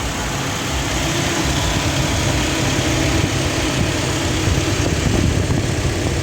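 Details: Toyota Vigo diesel idling with AC on after AC repair for refrigerant loss (suspected compressor-front leak), dirty moist evaporator removed; even idle, steady low drone, smooth compressor load, no knocks or squeals. Normal idle with AC on.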